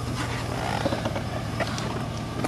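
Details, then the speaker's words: Chevy Silverado pickup, 210,000 miles, 4x4 working, brake lines needing repair; short run of engine ticking over evenly under outdoor clatter, no knock or miss; motor runs good. Normal idle. "4x4 works motor runs good two hundred ten thousand miles"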